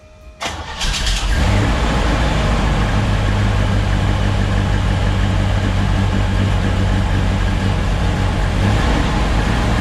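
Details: 1972 C10 shop truck V8 after cutting away an inspection plate piece that caused a bell-housing knock; cranks, catches quickly and settles into a steady, even idle with no knocking.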